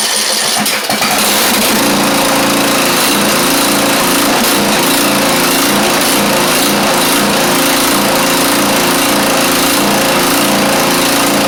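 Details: Craftsman YT4000 riding mower engine, first run, fuel doubted, muffler in poor shape and needing burning out: fast, slightly uneven beat about three pulses a second; carburettor not really good, rough running.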